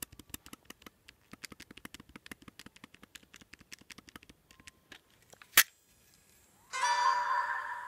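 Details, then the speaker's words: PSP 1003 with the metal disc door removed: sharp, irregular dry clicks several times a second from the UMD laser pickup, then a hiss. The laser is faulty and should not click; the screen goes black. "This laser seems to be kind of faulty because it's clicking. It's not really supposed to click."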